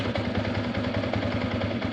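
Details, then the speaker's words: Yamaha Sniper 150 V1 idling before repair: busy uneven rattle on every beat that quiets when the clutch lever is pulled; worn clutch damper, to be replaced with a new damper. "Ngayon, ang problema niyan, nandito sa clutch damper, no? Bubusin natin yan at papalitan natin ang clutch damper."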